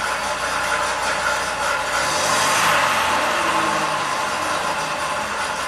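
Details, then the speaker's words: 2003 Pontiac Grand Prix V6, 325k miles, codes P1635 5V reference and P0107 MAP low, long crank, hesitation, 2000 rpm idle; uneven chugging, surging idle; EGR valve suspected, not confirmed; rough idle. "it's chugging away let's raise the RPMs up a little bit"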